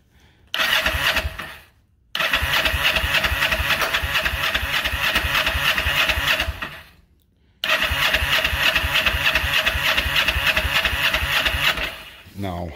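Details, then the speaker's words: 1994 Kawasaki Vulcan 500, 12,266 miles, second start in 3 years, cold start on choke; fires and races, dies, stumbles and cuts out; hard starting, carb rebuild planned, cause unconfirmed. "but yeah this is a a cold start here i don't know how well let's see how well it's gonna fire on a cold start"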